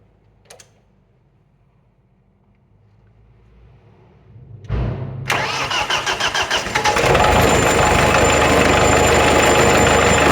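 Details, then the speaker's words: Old Thwaites Mach 073 All Drive dumper, believed Perkins 100 series diesel, start before a clutch job: cranks, catches after a few seconds, settles into a steady clattery idle about three beats a second, shaking hard but running evenly. "Yeah, it's definitely a diesel. see everything shaking, the whole thing's just, it's actually shaking the rust loose from that."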